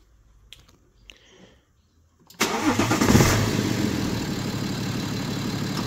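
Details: BMW 5 Series F11 525d, N57D30A diesel, 197,694 km, rebuilt after a spun main crankshaft bearing: brief quiet, then fires at once, flares and settles into a smooth, even idle with no knocking; runs healthy, though turbo said to be near end of life.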